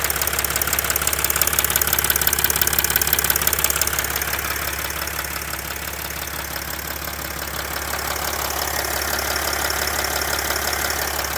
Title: OM642 R320 CDI 3.0 V6 diesel engine ticking knocking noise?